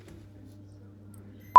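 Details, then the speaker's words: Milwaukee C12C charger with damaged power cord, during repair: quiet room, then a clean, steady high-pitched multimeter continuity tone; the onboard fuse is intact. "just going to test the fuse on board fuse make sure that's okay and you can hear the beeps so that's working fine"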